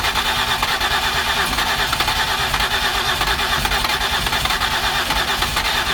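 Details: 2008 Ford Escape with previous repairs, no start: steady, fast starter churn turning the engine over but never catching; suspected blown head gasket, not confirmed.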